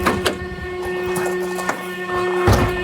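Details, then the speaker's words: Old Rover with worn plugs running rich, temperature okay: loud steady whirring drone with a sharp tone, much louder than a healthy fan, with a bit of smoke. The worn radiator cooling fan is noisy and may not last. "Yeah, it's just your fan. Is it? Is it just a very old fan? I'm not sure he's going to last too long sounding like that."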